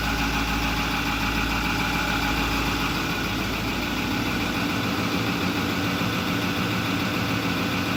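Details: 2008 Ford F250 6.4L turbo diesel after new electric fuel pump and purging via valve and key cycling: steady, even diesel clatter at idle, no misses, surges or hunting; fuel system primed, idles cleanly.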